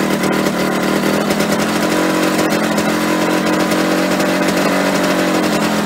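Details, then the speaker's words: Yamaha RD125LC two-stroke after standing 17 years: buzzy, fast, steady revs that never settle, idle sitting too high; owner hopes turning the screw on the side of the carburetor will bring revs down; cause not confirmed. "there's a screw on the side of the carburetor that might bring the revs down a bit hopefully so I'll give it a tw"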